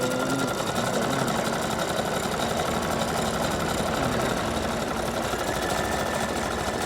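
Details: Brother GS2007 sewing machine after repair and reset of internal mechanism that had only sewn straight, not zigzag or patterns: fast, even mechanical chatter, no catching or knocking; now runs smoothly, all stitches working.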